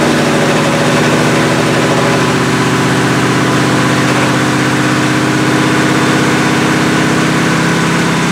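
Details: 1977 Chevrolet Malibu V8, cold start around 57 degrees with nonfunctional choke, held at high idle about 2,200–2,500 rpm for cam break-in: fast, even idle with steady low rumble, no knocks or misses.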